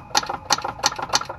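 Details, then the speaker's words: 1995 Arctic Cat ZR 700 turned by hand: four sharp metallic tanks on the mag cylinder's compression stroke; PTO side sounds normal; crank knock suspected, rebuild likely needed. "that sounds normal but the other side's got like a tank sound tank tank tank"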